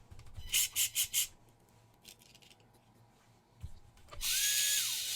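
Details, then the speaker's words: WLToys K969 1/28 RC car converted to RWD, after cleaning brushed motor: short bursts then clean high whine, holds, winds down smoothly, no longer sparking or smoking like crazy; normal running after repair. "it definitely seems better we're not sparking and smoking like crazy so we will try to run it on the track again"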